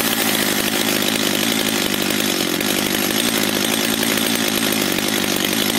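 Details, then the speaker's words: Stihl MS 230/250 chainsaw after turning the L screw half a turn: steady high-revving raspy two-stroke buzz that runs almost normally but stalls because the idle (throttle stop) screw is set too low and must be turned in; weak compression also suspected. "pilarka pracuje już prawie normalnie jedynie gaśnie dlatego że muszę teraz wkręt te wkręcić czyli wkręt zderzakowy przepustnicy którą podpiera"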